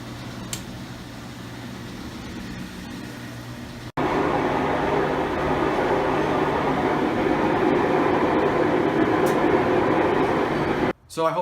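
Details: Five-year-old Maytag Bravos XL washer after drive shaft bearing replacement: a quiet start, then a smooth, even whoosh during spin with no rumble or grinding. Normal spin.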